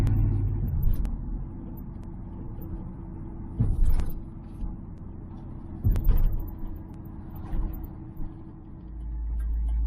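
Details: 1978 Ford Fairmont Futura after GT40P head swap, cruising on Y-pipe and straight pipe without muffler: deep steady exhaust rumble, no sputter or cut-out, a few road bumps; normal running under light load.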